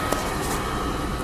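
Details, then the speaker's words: 2000 Nissan Xterra 3.3L V6 after crank-no-start ignition-circuit troubleshooting, fires right away, timing not yet set: steady, even run with constant low rumble, no misses or surging. "Everything's good. Fire up right away. Still need to set our timing."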